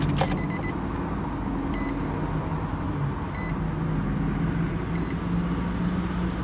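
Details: 2012 Nissan Xterra S 4.0L V6 five-door SUV: the engine catches and settles into a smooth, steady idle with an even low hum and a soft chime ticking over it. Normal idle, sounds healthy.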